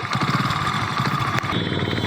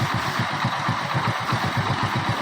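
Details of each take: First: Hero Splendor Pro single-cylinder idling: quick even ticking rattle riding on the idle beat, seeming like a loose bolt or nut from an external part rather than the head; loose part rattle. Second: Hero Splendor Pro single-cylinder after tightening a loose outer cover that had made a "khatar khatar" rattle mistaken for a loose magneto or head bolt: steady, even idle putter of about four beats a second with no tapping; normal idle.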